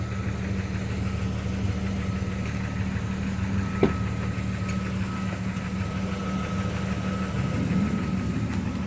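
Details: Engine idling low and even with a faint, steady knock underneath; new rod bearings already installed, lifters or rod knock uncertain.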